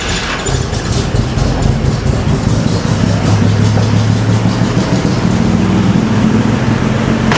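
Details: 1970 Jeepster Commando after Rochester carburetor rebuild, float bowl initially empty: brief cranking, catches quickly, steady even idle with deep exhaust note; fuel seeping from carb top, float suspected; normal start and idle.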